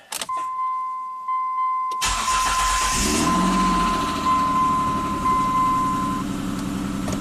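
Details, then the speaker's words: 1998 Mitsubishi Montero Sport V6 after new timing components installed (loose timing belt had let timing jump): short crank, catches cleanly and settles into smooth even idle, no slap or rattle; very nice startup, power steering disconnected. "Very nice startup. Remember, no power steering right now. Definitely more power."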